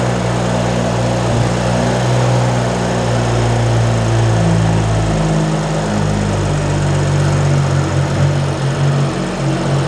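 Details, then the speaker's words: 2011 BMW F10 535i, N55 engine, first start after replacing the wrong VANOS solenoids that caused a severe misfire (straight-piped exhaust): steady, even idle with no stumble or miss, running smooth. "the engine sounds great now once we pick up our test drive after replacing the venal slow lines it runs smooth"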